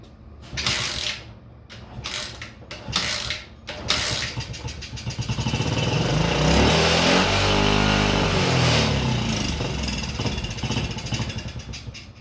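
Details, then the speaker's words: Pit bike with swapped-in Lifan 110cc engine, not running when bought, about 90 psi compression by hand, spark present: first start on carb cleaner, on lift; several short pulls then uneven revs and unsteady idle, likely fuel-starved, carburetor needs adjusting. "Well, it started on the carb cleaner at least, so we know it runs."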